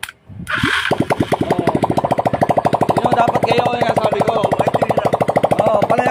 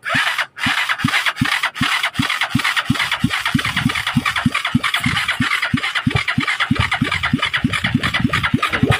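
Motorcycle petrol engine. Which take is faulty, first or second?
second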